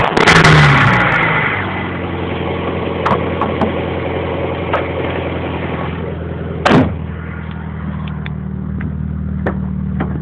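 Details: Honda B21A1 petrol engine revs then settles to idle, with a sharp knock tapping through the low hum; suspected rod knock, not confirmed.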